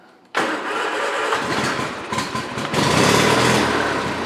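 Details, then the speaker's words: 1975 Johnson 25hp outboard, not run in over 4 years, started on choke at part throttle: catches on the first pull and settles into a steady, even putter with no knocks or misses; normal start and idle. "That's a good running low color there, I'll tell you what."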